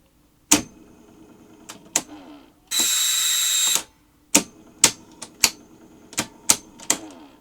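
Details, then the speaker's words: TC270 tape machine, tape sensor switch sluggish from dried lubrication: after nudging the switch, motors and capstan start with irregular sharp clunks and clacks plus a one-second buzz; transport clattering, mechanical fault suspected, cause not confirmed. "so it has the sort of mechanical problems you'd expect"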